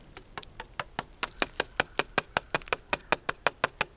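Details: Newly installed 1-inch hydraulic ram pump delivery pipe being tapped while filling uphill: sharp ringing taps about five a second with a bright, hollow tone, marking an empty section not yet reached by water.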